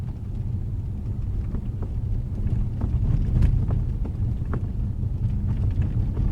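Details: Sunroof on a 2012 Jaguar XJ makes irregular sharp pops and ticks over steady low road rumble while driving, persisting after several dealership repair attempts.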